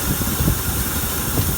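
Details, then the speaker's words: Ford F-100 V8 first start after a tune-up with new plugs and wires; started right away: low, smooth, even idle rumble with no ticking, clicking or stumble, not smoking, though it smells of gas. "oh it sounds really smooth I can smell it it's burning too much gas already"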